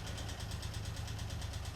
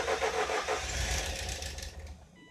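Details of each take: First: 1988 Ford Escort with refurbished Bosch K-Jetronic metering head, running after long lay-up, gears and brakes tested: steady, even low idle with smooth regular beat, no knocks, misses or hunting. Normal idle. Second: 1988 Ford Escort, refurbished Bosch K-Jetronic metering head refitted after long lay-up: engine catches, runs about two seconds, fades and dies, single click. Fires then stalls; suspected not enough fuel yet, unconfirmed.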